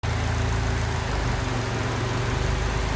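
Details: Datsun 510 now running on all four cylinders, with a quiet fuel pump: an even, steady low pulse with no misses or stumbles. Normal idle.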